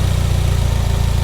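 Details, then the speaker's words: Turbo Subaru salvage car, cammed, check engine light on: a steady, fast idle with an even low drone and no dip or hunt, idling way too high. Suspected boost leak from a charge pipe or damaged intercooler, unconfirmed. "She's idling way too high. Yeah, it's got a boost leak somewhere. Maybe one of the charge pipes, or maybe the intercooler's damaged."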